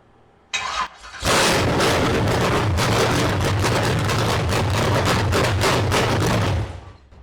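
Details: Engine after distributor installation, once rotated back from too much advance: short crank, then fires and holds an even strong idle with no popping or backfire; timing close, to be finalised with a timing light.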